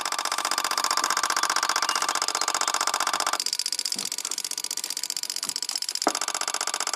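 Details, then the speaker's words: 2002 Toyota 4Runner with EVAP codes P0440/P0441/P0446, purge VSV commanded on via bidirectional scan tool at idle: sharp, regular ticking under the hood, nearly two clicks a second; purge solenoid cycling normally. "And just click on. And you can hear it's hammering away under the hood."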